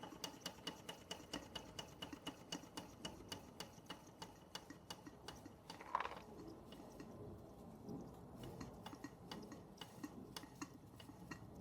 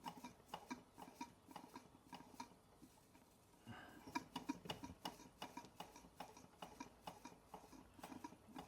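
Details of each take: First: Bing 10/110 poppet valve steam engine on its original spirit burner, slowed down: light, even ticking chuffs about two per second, steady and unhurried, condensation cleared, under 1 bar (about 10 psi); running smoothly at low speed. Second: Bing 10/110 poppet valve steam engine on its original spirit burner, first run in months: uneven soft puffs and light ticks about three a second, some wet spitting, as the chimney clears condensation at low pressure.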